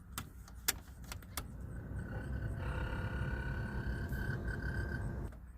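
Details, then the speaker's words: 1988 Pontiac Firebird Formula heater/AC blower motor before replacement: after clicks, steady rough whir with faint raspy tone, weak airflow: worn, noisy blower motor. "this is 12 months removed so hopefully you can hear it the blower motor is making noise it's not really pumping out too good"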